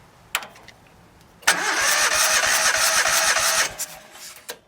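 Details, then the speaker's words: Cylinder dead despite new spark plugs, telltale oil present: a couple of seconds of uneven, labored cranking, about three pulses a second, with one weak beat during a compression test; owner suspects a blown head gasket. "I believe we have a blown head gasket and there's some telltale oil I'm gonna give my compression tester and rarefied let's see what happens"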